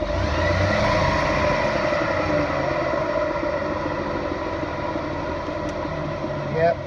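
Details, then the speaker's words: Chevy Malibu on lift, wheel spun under light throttle, stethoscope at the bearing base bolt; steady droning growl loudest at the hub; wheel hub bearing noise, bearing to be replaced. "it's coming from that bearing we're going to go ahead and change that"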